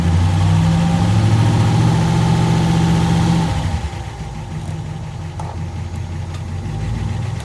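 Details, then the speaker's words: Graymarine 138 AMC V8 in a probably early-1960s 23-foot Lyman boat, worn oil pump, just primed with SAE 30 oil from a pressure tank: starts right up, strong even running then smooth quieter idle with plenty of oil pressure. "Okay, I'm done priming. I'm going to start up, see what we got. Look at that. Come right up. Didn't even have to raise the throttle. Plenty of pressure."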